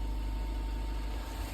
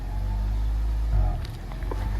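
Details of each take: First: 1992 Honda Prelude 4th gen petrol after loosening/cleaning the IACV to cure surging idle: engine idles with steady low hum, no surging or hunting even after a small rev; bouncy idle fixed. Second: 1992 Honda Prelude fourth-gen petrol engine with idle surge: idle rises and falls in slow waves endlessly instead of settling, blamed on the idle air control valve, which is then removed and cleaned.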